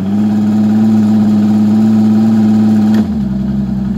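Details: 2018 Evinrude E-TEC 150 outboard repowering a deck boat, running on ear muffs in forward gear with Uflex cables; about an inch of slop, throttle sticky so rpm jumps in steps (about 200 rpm); fixed with Evinrude HE cables: sticky throttle cables.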